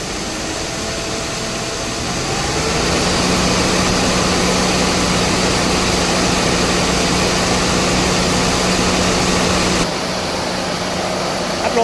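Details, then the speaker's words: Mercedes-Benz S280 after AC repair (leaking refrigerant hose replaced, new drier and O-rings, recharged): AC compressor and engine run smoothly and quietly with fan rush and an even hum as revs rise; system pressures normal. "เสียงการทำงานดีครับเร่งเครื่องหน่อยครับ"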